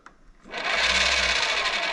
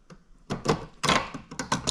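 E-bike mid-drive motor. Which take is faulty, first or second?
first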